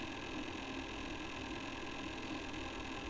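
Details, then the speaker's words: Netgear 8-port 10G managed L3 switch, plugged in and placed by the microphone. A constant, steady fan hiss with a faint even hum and no ticking or wavering. This is normal cooling-fan noise for a business-tier 10G switch. "that is what a business tier 10g managed switch sounds like you can get switches that are unmanaged you can get switches that are fanless"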